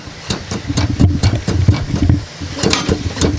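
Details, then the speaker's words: Free used lawnmower propped up, engine running: rapid irregular clatter and scraping over the firing; the noise disappears when the blade is pushed up, so the owner suspects the blade sits too low or the flywheel rubs something. "uh it's like a scraping noise but if we push the blade up it's gone something has something to do with this blade that's sitting too low or it's the flywheel that's scraping on something up in here"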